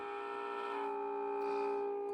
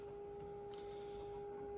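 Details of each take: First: Mid-1950s Crosley JT3 All-American Five radio after replacing the faulty couplet with discrete components, signal generator on the variable capacitor: clean steady tone of about 400 Hz, loud and strong with no hum or crackle; normal output. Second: Mid-1950s Crosley JT3 All-American Five tube radio, modulated IF signal injected at the variable capacitor with a couplet cap bypassed: only a faint thin test tone; weak audio from an open plate resistor in the couplet.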